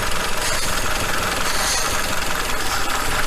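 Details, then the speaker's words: Kia Cerato at 676,087 km with a misfire code on cylinder 4 that stayed after swapping coils. At idle a constant airy hiss rides over a slightly uneven beat: the number 4 injector seal appears to be leaking air. Fix: injector seal rings replaced. "Видите, двигатель. Форсунка сопит, мама, не горюет. Такое ощущение, что пробила прокладку."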